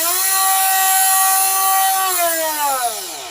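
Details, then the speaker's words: Parkside PFBS 12 C7 cordless precision rotary tool, no-load start at full speed: a steady high-pitched whine, noisy but with acceptable vibration, then the pitch drops smoothly on spin-down; normal, healthy running. "bon quand elle va à fond, je dois bien vous avouer que elle fait du bruit. La les vibrations, ça va, c'est plus que correct."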